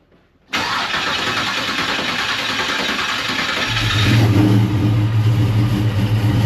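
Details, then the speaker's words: Comp Cams 1969 Chevrolet Camaro V8 cold start with Driven Racing Oil, car hasn't run in a while: cranks and catches at once, settles into a deep even idle, rises slightly, no misfire or rattle; normal cold start. "let's listen how smooth it is with that driven race noil in there it's going to take it a second it hasn't run in a while code start"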